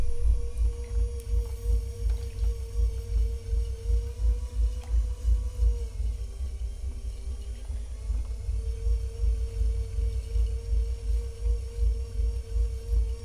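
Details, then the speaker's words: Vevor $120 electric pottery wheel (25cm, 350W) centering a six-pound clay ball under heavy hand pressure. The steady motor hum drops in pitch for a couple of seconds, then climbs back as the small motor bogs under load. "I'm already uh sensing that it is slowing down just a little bit as I Center you can probably hear the sound of it slowing down and speeding up"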